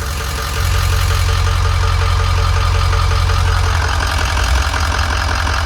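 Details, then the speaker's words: 2005 Ford E450 with 6.0L Power Stroke turbo diesel, 152,318 miles: starts good, smooth high steady idle, good oil pressure, no check engine lights; strong even low diesel rumble without knocks or skips, normal idle. "Starts good, she idles really smooth. Got good oil pressure, high steady idle. There's no check engine lights on this dash."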